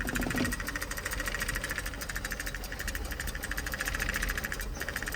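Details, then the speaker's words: Project Opel Corsa just restarted after months sitting, following an ECU repair: lumpy, choppy idle, beat wandering and sagging as the throttle body closes, choking it. Not obviously misfiring, but it previously ran then died and soon dies again. "Okay, it's running rough, man. I'm not even sure if the spark plugs are, but it doesn't sound like it's misfiring."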